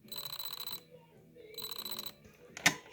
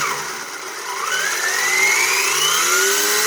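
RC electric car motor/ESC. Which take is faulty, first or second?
first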